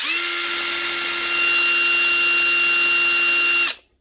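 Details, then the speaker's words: Panasonic cordless power tool under test: steady high motor whine with a rough grumble under it at constant speed, then spin-down; the simple steel spindle bush is worn with play, chuck grumbling; gearbox replacement judged not worth it. "Chuck is making a really grumbling sort of sound that's a very simple one actual steel Bush and the spindal worn out way bit we bit of play now"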